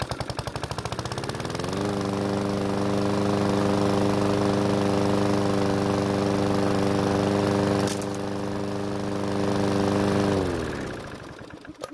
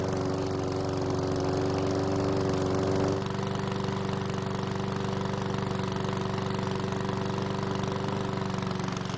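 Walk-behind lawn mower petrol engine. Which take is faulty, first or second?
first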